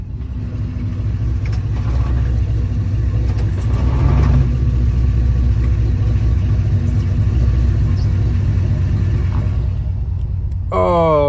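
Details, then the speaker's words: 1993 Chevy Silverado, 4L60E automatic, failing to move in reverse: heavy low rumble with a faint droning whine under load as the truck moves; worn-out transmission, later replaced with a stage 2 unit. "Threw this thing in reverse and it didn't go. So, we know what that means."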